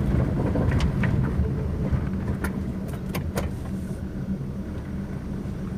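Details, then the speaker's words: Hyundai Atoz on a test drive with front-wheel noise: scraping "krek krek" crunches over road rumble when the brake pedal is pressed. The noise seems to come from the front right wheel. The pad or disc was suspected; an uneven inner surface was found. "Nah itu Bos ya krek krek Gitu Bos ya ini Bos ya lagi bos ya ini sepertinya pada bagian kampas atau piringan ini Bos"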